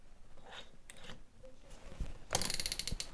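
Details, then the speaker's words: All-metal keyless chuck: quiet handling then a quick run of sharp ratcheting clicks as the chuck is turned back and locks so it won't loosen; normal locking. "затягиваем вот со щелчками затянулся и назад нет вот мы видели об и переключился и теперь можно работать"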